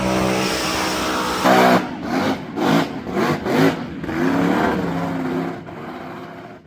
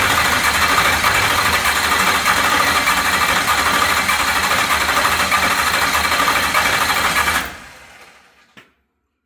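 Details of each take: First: We'll get some more footage here and uh fire it up. Otherwise, it sounds good. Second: 403 ci 6.0L stroker LS with Scat rods, first fire after a crank sensor harness extension was made: loud, ragged, stumbling run at about three beats per second, then shutdown. One cylinder is dead, its valve not opening.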